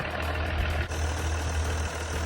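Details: Truck camper engine idling after repair and reinstall (engine had been out again for a water leak at the back): deep, steady rumble with an even beat, no knocks or misses; idles cleanly and sounds healthy.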